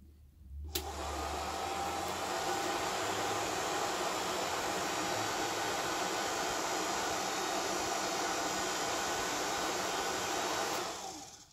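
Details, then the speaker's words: VW Squareback fresh air box blower after the box was reassembled with weather stripping: steady, even whir with a faint hum and no rubbing or rattle. Normal motor noise. "yeah I'm gonna chalk that up to the motor just making noises whirring around cool"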